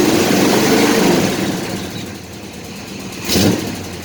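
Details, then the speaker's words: Chevy C10 truck after a welding repair at an exhaust shop fixed a broken exhaust: a couple of clean revs rising and falling smoothly, no rasp or blowing; the exhaust now sounds sealed and much smoother. "como ven ya no se escucha el el el rompido ya armado mucho más suave"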